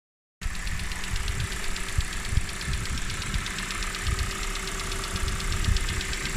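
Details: 2019 Kia Cerato (Forte) BD with Nu 2.0L MPi petrol engine idling just after start-up with a fast, even, light ticking/clicking over the low running sound.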